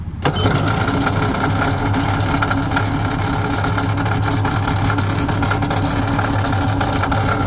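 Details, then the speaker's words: 2005 Yamaha GP1300R jet ski with a fuel-injected two-stroke, run after purchase. Steady buzzy idle with a hard, rapid knock throughout; a really bad engine knock, cause unknown. "It's got a really bad knocking noise in there. We don't know what's wrong with this."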